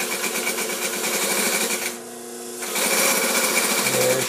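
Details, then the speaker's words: Vintage Singer 95-1 with new timing belt, re-timed hook, clutch motor, sewing thick suede: fast steady needle clatter about three stitches a second with even motor hum, no skipped stitches; normal sewing. "no skip stitches nice perfect sound for a machine of this error sewing like a champ couldn't be better"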